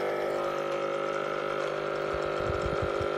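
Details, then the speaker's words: Washing machine drain pump bench-tested: steady buzzing motor hum with an uneven rattle creeping in; worn drain pump with play in the shaft. "je ne parviens drôle de bruit regardez parce que ça fait un cocktail fois là donc il est temps de la changer mon bois il ya du jeu"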